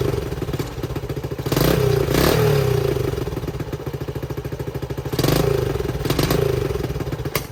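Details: 1970 Honda CT90 single idling while warming up, after fixing a fuel leak caused by a carburetor float stuck open: steady single-cylinder putter with a couple of gentle blips and even firing; runs healthy.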